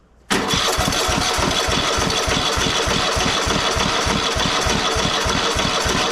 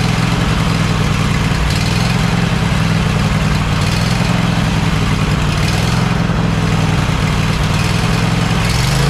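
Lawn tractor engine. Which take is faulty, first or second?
first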